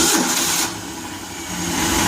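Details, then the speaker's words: Boyertown step van on a propane carburetor, cold start after an exhaust leak repair (new exhaust donut and clamp) and alternator belt tightening: runs slightly rough for 10–20 seconds with no ticking or puffing; normal cold running, no leak. "to run just a little bit rough for about 10 15 20 seconds when it's cold like this and then go just move out like butter"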